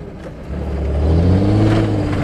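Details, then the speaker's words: Worn-out car on way to scrapyard, clutch slipping: engine pitch climbs under throttle with revs flaring without matching pull; no power until above 2000 rpm, clutch slips. "so your the clutch thing sounds like death all right Ernie clutch this out Oh power movin until you get above two grand just slips"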